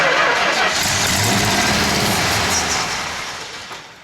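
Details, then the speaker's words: 1970 Plymouth Road Runner first started after 25 years of sitting: runs briefly, then fades and dies as the poured fuel runs out. The fuel pump appears not to work, running only on gas put in the carburettor. "it appears the fuel pump's not working it's only running when I put gas in the carburetor"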